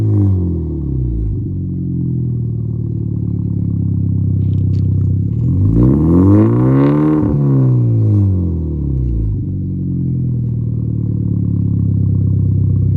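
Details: 2013 Hyundai Genesis Coupe just fitted with an ISR performance downpipe and test pipe: deep throaty idle, two clean revs swelling and falling back, smooth and even; healthy, louder aftermarket exhaust note.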